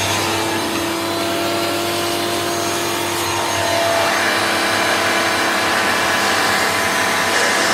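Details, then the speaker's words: Hoover Turbomaster U5094 upright vacuum after refurbishment, brush roll off: steady high whine with even airflow rush, no rumble or scraping. Both motor bearings had been seized, fancase one spinning on the armature shaft; bearings now run smooth. "It sounds very smooth now. Both the motor bearings were seized. One was running itself around the motor shaft rather than being a bearing, but it hasn't done much damage."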